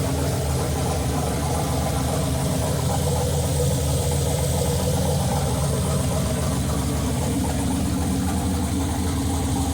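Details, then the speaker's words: Turbo LS Chevelle with Holley Terminator X on first fire-up, fuel pressure 75 psi: fast, busy, steady rumbling idle that won't settle, above target with the idle air control at 0%; owner suspects the throttle blade is open too much. "also i noticed that the iac the idle air control was at zero percent and the idle was still above the target so what that means is i think the throttle blade was open too much"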